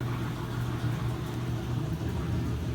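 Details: Easy washer, previously leaking water and noisy, after bearing service and clearing coins, sand and debris from the drum: steady, even low hum with no knocking, scraping or banging; runs smoothly.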